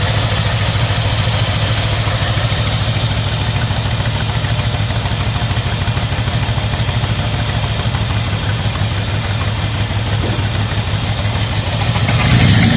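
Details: 1985 Ford Bronco V8 first start in 8 months after puking coolant from an exhaust pipe; loud lumpy stumbling idle, revs rising near end, missing on a couple of cylinders, only about six running; head gaskets or heads suspected.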